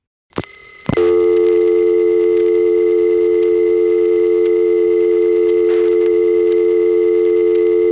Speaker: here's dialing 550 from a 294 dial tone first coin phone and you can hear what it is about noisy power supplies in this office